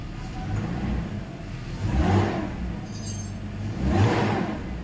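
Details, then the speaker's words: BMW E46 325 after alternator rebuild for a seized rear bearing: two clean, smooth rev swells, no bearing noise, good acceleration; normal revving after repair. "untuk bearingnya juga aman gak bunyi ya kita coba cek di akselerasinya enak apa enggak H akselerasinya enak ya teman-teman"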